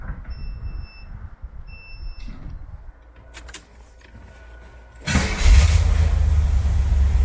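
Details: 1972 Corvette C3 V8 after fitting new rear mufflers replacing rusted ones. Quiet lead-in, then the engine fires and settles into a deep steady rumble with no rattles or leaks; exhaust sounds healthy.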